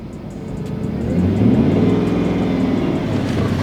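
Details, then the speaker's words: 5.7 L Hemi V8 (Chrysler 300C or Charger R/T) with high highway mileage, checked before buying: idle and rev, rumble swells on throttle then settles to a steady, even beat with no knocks or ticks; sounds healthy, normal. "yeah sounds good sounds really good actually not bad at all nah this thing sounds great"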